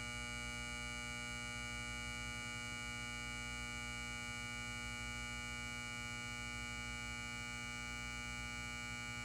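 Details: Lithonia Lighting 250W pulse-start metal halide high-bay light, LumaSuper ED28 bulb, base up, M153/O ballast, 11 months old, turned on: a loud steady buzzing hum at fixed pitch during warm-up; magnetic ballast hum.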